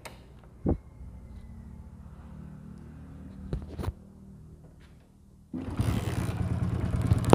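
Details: Old first-model Hero Splendor single-cylinder bike: quiet clicks, then engine catches and runs with harsh uneven rattling clatter despite earlier work; cause found as worn oil pump shaft and parts. Engine rattle from worn oil pump.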